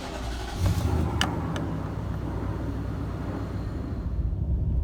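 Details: Nissan Titan V8 idling after cracked exhaust manifold replacement, mass airflow sensor reconnected and codes cleared: steady deep idle with no exhaust ticking or puffing; normal, and noticeably quieter afterward.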